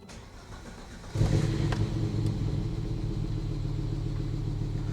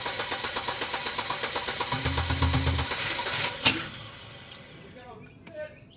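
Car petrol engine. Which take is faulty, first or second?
second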